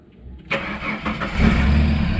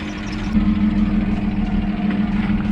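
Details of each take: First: Ford AU Falcon that has been playing up with starting, key turned: starter cranks about a second, then the engine fires and settles into an even idle; a clean, normal start this time. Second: Neglected Ford Falcon just started after sitting a while: steady idle with a faint light lifter tick and a thin squeal from the accessory belt riding over it; owner judges it not too bad.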